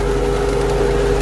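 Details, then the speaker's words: Infiniti M45 VK45DE at idle: thin constant tone over the idle from the belt drive; the tensioner pulley vibrates, wobbles back and forth and grows louder, so its worn bearing is blamed and replaced. "this one I can feel a lot of vibration coming from it and I got some kind of ears getting louder so I'm pretty positive that's what it is but you can see the pulley even moving back and forth right there"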